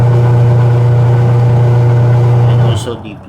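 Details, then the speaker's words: Washing machine running with a loud, steady low hum and weak impeller rotation, then cutting off; belt found okay, gearbox a little tight. "what i'm going to do today is to check this washing machine what is the problem why it's noisy and the impeller or rotary blades is powerless when turning"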